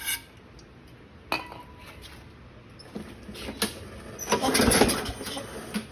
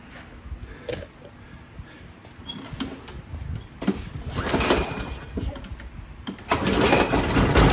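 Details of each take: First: 2009 Craftsman self-propelled mower, Briggs 6.75, leaking gas and not starting: on carb spray with choke, short ragged burst of firing that dies away; fuel system fault, carburettor needs cleaning and rebuild. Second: 2009 Craftsman self-propelled mower (Husqvarna 917.376401), Briggs 6.75 engine, after carb clean and rebuild with new seat and swapping the bent blade for a straight used one: starts and settles into a steady, even drone without the earlier shaking; runs normally.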